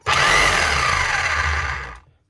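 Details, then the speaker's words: Keyang hammer after repair of seized motor (failed armature top bearing replaced): motor spins up cleanly, runs smooth without growl or rattle, winds down evenly; normal running. "motor's running Hammer's going that's all you need to do"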